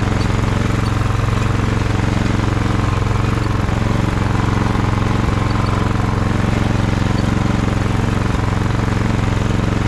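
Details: Ariens snowblower test run after friction disc replacement: loud, even engine drone at about three pulses a second, no misses or knocks; running smoothly.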